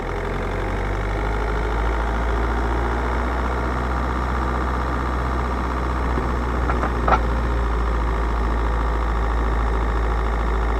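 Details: 2008 Ford Mondeo Mk4 going over speed bumps: isolated sharp metallic clanks from the front suspension over a low drone. Nothing looked loose with the wheels off; the cause is unknown.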